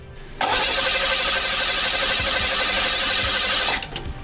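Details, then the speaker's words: 1986 Pontiac Fiero GT crank no start: even, fast cranking for about three seconds that never fires, no spark at coil or cap even after replacing ignition module, cap, coil and MAP sensor; the new ignition coil tested faulty with a multimeter. "and still nothing i also check for spark from the coil to the cap and no spark there either so at this point i went to test the brand new ignition coil with a multimeter off camera and determined that it was not working properly"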